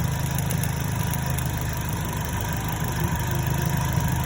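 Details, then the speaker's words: 2010 Chevrolet Cobalt 2.2 after repair: missing ground fixed at the starter relay and MAF sensor (P0102), bad cylinder 3 coil replaced. Steady, even idle with a smooth low hum and no stumbles or skips; runs cleanly with no misfire. "Now it's running good, not misfiring, it's cranking, and just like I showed you, no more codes."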